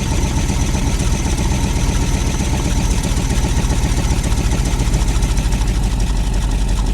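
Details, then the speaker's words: Old truck running on fresh gas from its tank with a working fuel pump, started with the key, microphone near the exhaust: a steady, even low exhaust pulse with no misses. The engine idles normally on its own. "holy guys it is idling on its own that's awesome"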